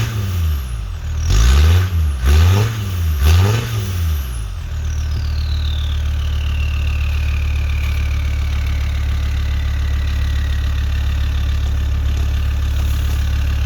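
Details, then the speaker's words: Land Rover Discovery 2 TD5 mapped diesel after new turbo and manifold fitted (broken manifold studs fixed by specialist); three quick revs then clear whistle falling in pitch as turbo spins down over steady idle; normal turbo whistle. "um it's got a really nice turbo whistle on it as well I'll let you other listen for"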